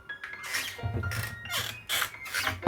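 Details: 10–15-year-old kitchen cabinet door: it creaks with thin, wavering squeals as it swings, then closes with a soft knock, from a dry hinge.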